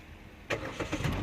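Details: 2017 Kia Picanto with no-crank no-start, after the starter connector was reseated and tightened, in park: silence, then one brief crank and engine catches straight into steady idle; clean normal start.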